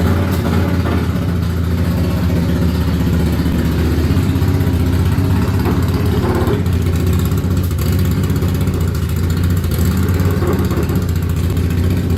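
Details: Ducati Monster 695 café racer after rewiring and new coils/HT leads, restarted for a headlight test: loud, deep, even thrum holding steady with no misses, knocks or rattles; starts and runs cleanly, very loud exhaust.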